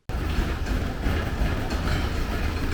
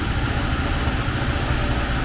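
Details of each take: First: 1979 Porsche 924 engine, first run after sitting, fuel just added: uneven chuffing idle that hunts and stumbles, nothing mechanical heard; rough running. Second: 1979 Porsche 924 engine idling before warm-up: even smooth low rumble, no misses or knocks; sounds good but won't accelerate, owner suspects it needs a new timing belt.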